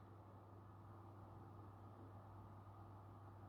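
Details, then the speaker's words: PlayStation 5 Pro CFI 70 first revision, redesigned fan with higher duty cycle: quiet, steady low hum with faint even tone, no rattle or grinding; normal, acceptable fan noise. "now we can hear the fan and I would say it's it's okay yeah some of you maybe have other experiences but for me this is okay I heard much worse"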